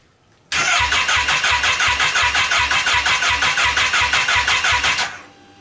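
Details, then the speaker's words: Wrecked Kawasaki Ninja H2 engine bought on eBay, bench-run with no coolant: steady even cranking about three beats a second for over four seconds, never firing; owner suspects no spark, possibly a tip-over sensor or starter lockout switch issue. "I really want to check if it's getting a spark because with engines like these yes it's turning over but that doesn't necessarily mean it's getting a spark"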